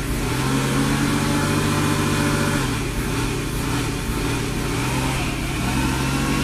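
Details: 1995 Mercedes SL500 V8 idles fine, but at steady throttle the revs sag and recover in slow waves; a bad throttle body with faulty internal wires sets a fuel safety cutoff code.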